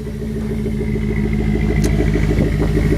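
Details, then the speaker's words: 2001 Jeep Grand Cherokee WJ V8, bored over to about 4.7 litres with new heads, heard at the tailpipe of its stock 2.5-inch exhaust: deep, steady, even burble at idle with no ticks or misses; healthy idling exhaust. "it's just a stock two-and-a-half inch exhaust times pretty good though"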